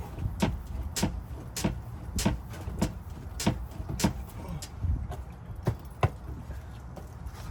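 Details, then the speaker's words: 2003-2008 Honda Pilot after replacing both rear shocks, car bounced about once a second: only soft thuds and a faint creak, no clunk; the earlier rear-shock noise is gone, and a slight squeak remains from elsewhere. "okay the ugly noise did win away way I can still hear a little squeaking sound but it's not coming from the rear shocks it's coming from somewhere else"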